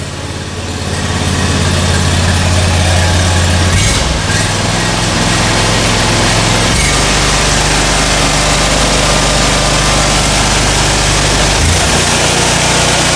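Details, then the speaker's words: SCAG Cheetah II mower just after high-pressure fuel pump replacement, first run before raising the idle: steady, even idle with a smooth low drone and no misses or surging; runs cleanly. "I'm going to let it run for a little while so I can feed fuel throughout the system, and then we'll take it out and I'll raise the idle. Okay, so it's running."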